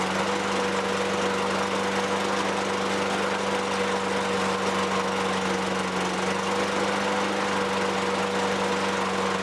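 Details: 2003 Toro Recycler 20016 with Tecumseh 6.5 single-cylinder, a trash find, runs after carb cleaning and clearing debris from the gas tank. It holds a steady, even note with constant loudness and no misses or knocks. Slight smoke lightens as it runs.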